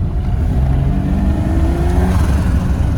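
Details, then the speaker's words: BMW E30 324iT with a turbocharged M20 (B20 block with B24 stroke) warming up and being revved. A deep drone carries a faint rising whistle with the revs; the owner is unsure of the source and thinks it may be the turbo air intake. "je sais pas c'est quoi qui fait le bruit là gros je pense je sais pas il y a des vidéos c'est genre à l'entrée d'air du turbo"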